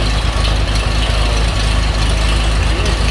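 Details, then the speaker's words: 1936 Chevy pickup during chassis rebuild, no exhaust system fitted yet: low heavy idle with an uneven loping beat, about two pulses a second, never smoothing out; rough idle, cause unknown to owner. "you can hear it runs kind of idle's kind of rough i don't know why"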